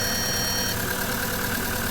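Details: VW Gol 1.6 that stalled after a speed bump, idling after the car's own battery replaced a low work battery, throttle body being measured: steady, even idle with no knocks, misses or hunting; normal idle.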